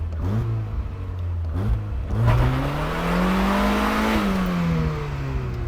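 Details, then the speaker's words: 1976 turbo Fiat sports car after 15 years sitting, drive shaft rattle fixed: engine climbs smoothly to a strong clean rev and settles, no knocks or misses — healthy normal acceleration. "this engine has plenty of power it sounds really good and it's healthy which is the most important thing for us to move forward"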